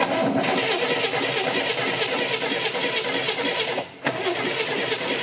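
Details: Car cranked during spark testing after the ignition leads were swapped and a plug was pulled to check for spark: even starter churning at roughly three turns a second with a short pause and no firing; crank-no-start, cause suspected, not confirmed.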